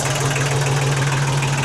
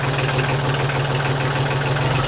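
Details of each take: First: 1991 Kubota L2050 DT tractor diesel, 35 years old, freshly started after clicking no-start, jump pack hooked up; steady low even idle, RPM low, no knocks, misses or hunting; normal healthy idle. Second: 1991 Kubota L2050 DT diesel tractor, started after repeated starter clicks: slow, heavy diesel chug at a low, slightly uneven beat with steady clatter; low idle speed.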